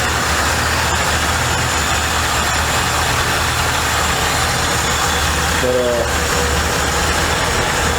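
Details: Chevy Impala with a V8, restored long ago and sitting for years, first start: low, steady burble holds an even idle under some outside noise, no miss or knock; idling normally.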